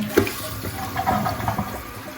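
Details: Toto toilet with Korky fill valve after greasing the valve to fix its groaning: water rushes and gurgles as the tank refills, with no groaning or wailing tone. Normal quiet refill.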